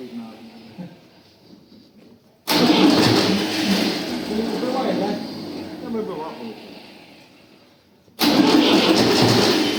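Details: Tractor diesel, first start after engine rebuild: long bursts of cranking that roar without catching cleanly until diesel primes through the lines; starter also needs repair.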